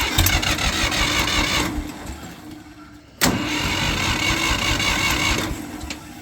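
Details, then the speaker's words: Old gas Ford 2000/3000 backhoe tractor after new 2-inch exhaust pipe and muffler: starter churns the engine in rough bursts with a brief pause but it never catches; it has run out of gas. "oh yeah I run out of gas I got to go get some"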